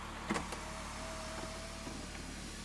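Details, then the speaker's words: Audi TT Mk1 roadster door window motor; quiet motor whine with grinding from inside the door, only when the glass goes up; the window nearly reaches the top, stops and goes down again; owner suspects it needs lubricating; power window grinding noise. "oh yeah you can hear some grinding and stuff going on in the door but only when it goes up"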